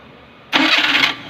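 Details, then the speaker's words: Maruti Suzuki 800 with an old carburettor engine, after the flywheel ring gear was replaced, starts cleanly in about half a second with no grinding; the earlier harsh start noise is gone, though the starter bendix still needs repair. "അപ്പോൾ ഇപ്പോൾ നേരത്തെ കേട്ട എന്നുള്ള ഒരു സൗണ്ടും കാര്യങ്ങളും ഒന്നും വണ്ടിക്ക് ഇല്ല. കാരണം നമ്മൾ കണ്ടതാണ് അതിൻ്റെ ഫ്ലൈ വീൽ റിങ് പോയതാണ്."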